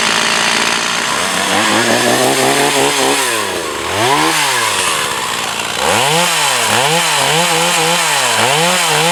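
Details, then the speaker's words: Echo CS 4500 chainsaw, bought used, stood unused for many years; carb rebuilt, high-speed screw adjusted slightly. Crisp revs rise and fall cleanly as it bites into wood, picking up quickly without bogging or stumbling; running healthy. "so uh the chainsaw is new for me but now it seems to be a operating uh good to uh to work good"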